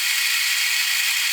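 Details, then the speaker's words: 1966 Addams Family "Thing" coin bank gear train, taken apart and run at the full 3 volts: fast, high-pitched whirring with a fine, even ratcheting chatter, all gears turning; normal gear train running, though it possibly slows slightly. "All the gears are turning as they should. Sounds like it's slowing down or my imagination."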